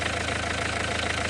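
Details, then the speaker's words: Renault 1.5 dCi diesel idling warm during leak-off test after refreshing injector no. 4 with new Delphi valve and nozzle: even, steady clatter with no misses or knocks; no. 4 now returns little fuel, fix worked. "Car started, running for 2 minutes, and then we observe"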